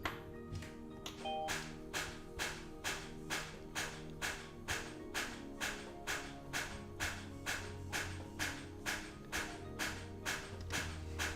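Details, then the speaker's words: 2016 Kia Sorento start attempt on a totally dead battery: steady rapid solenoid clicking about twice a second with no cranking; not enough charge to turn the engine over. "Okay, you can hear the car trying to start. It's clicking the solenoid on, but it doesn't even have enough juice to turn it over. That's how you know you've got a totally dead battery."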